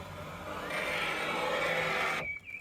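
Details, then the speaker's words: Fiat Tipo door power window: strained whirring motor tone for about a second and a half then sharp cutoff; noisy, rough-sounding window regulator, new electric motor regulator to be fitted, door also doesn't close properly. "don't think it's supposed to sound like that. Yeah, so we have a new electric motor regulator thing to go in here. And we have a slightly wonky door that doesn't sound too good."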